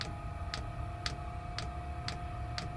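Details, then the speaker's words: Chinese diesel heater in a van, heard under the van at the dosing pump, which feeds from a tank at the front: crisp, very even single ticks about twice a second over a quiet hum, the pump working normally. "the pump's just kicked in so just um climb down here and under the van and I'll show you the pump so that's the pump there and it's pumping all the way from the front of the vehicle where I've got the tank"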